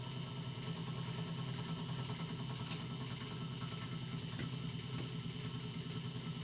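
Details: DeWalt 788 scroll saw switched on during inspection and bearing lubrication: steady, even hum with light regular pulse about two strokes a second, no knocks or grinding; runs smoothly.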